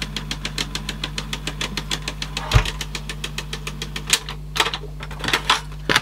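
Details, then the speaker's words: 1980s Teac cassette deck with a tape loaded: sharp, even ticks about five a second over faint motor hum, absent without a tape; source not yet found. "oh something's making a noise didn't do that without a taping they did it"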